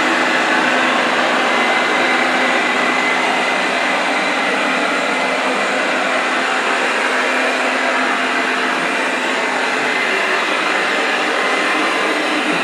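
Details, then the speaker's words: Eufy RoboVac 30C after replacing the rattling suction fan: steady, even whoosh with no rattle or knocking; repair successful. "I've replaced the suction fan with another one so let's just test this and see if we have any anymore look good"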